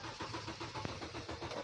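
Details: Kia Rondo that will not start: steady starter cranking with even compression pulses about five per second, engine never catches; power present but a missing ground suspected, later traced to a bad test-lead connection.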